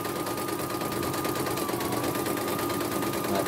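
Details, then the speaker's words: Embroidery machine from Demak, serviced for a rough grinding rotation noise, stitching small lettering: fast, even needle chatter with a steady high tone and no rough grinding or ragged beats; normal stitching. "Kita turunkan. Ini tulisan kecil ini langsung lancar"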